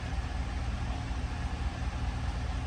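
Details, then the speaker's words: Chevrolet Silverado LT1 V8 at about 75k, after misfire repair with worn cam lobe on cylinder five and complete top-end rebuild, lifters bled out: deep, even quiet idle with no stumble; normal idle. "let those lifters bleed out fully and it sounds quiet sounds really good nice and smooth"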